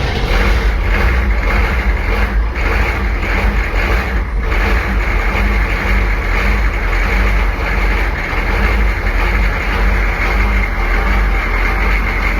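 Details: Military Humvee diesel, abandoned 13 years, first start after glow plugs: deep even rumble at steady idle, no misses or knocks; engine running normally.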